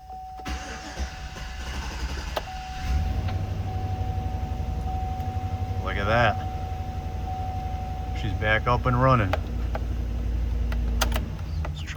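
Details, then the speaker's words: 2017 Chevy Express 6.0L van, crank-no-start fixed by repairing a bad ground, MAF intake boot refitted: cranks briefly, catches and settles into steady even idle, no misses or stumbles; running like a beauty. "Yep. Running like a beauty."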